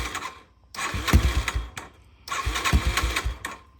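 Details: Yamaha TTR-230 trail bike after carburetor removal and cleaning, reassembled, cold start without needing the choke: catches first try, steady even single-cylinder putter with clean throttle blips; sounds better than ever, normal start and idle.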